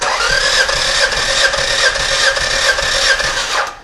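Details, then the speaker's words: Car with a suspected minor blown head gasket, compression test via remote starter: steady cranking with even starter pulses about two per second, no firing; cylinder two reads 130 versus 150 on cylinder one, probably still within spec. "And it's a little bit lower. It's at 130. Um, which is probably still within spec, but let's go on to number three."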